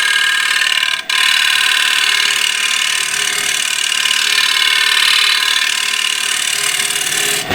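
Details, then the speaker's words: Woodturning a plate, thin springy bottom: high fast buzzing chatter over the cut from vibration; turner eases pressure and puts a hand behind the cut to equalize it. "a little bit of vibration so I need to go a little bit easier and put my hand behind the cut so I equalize the pressure"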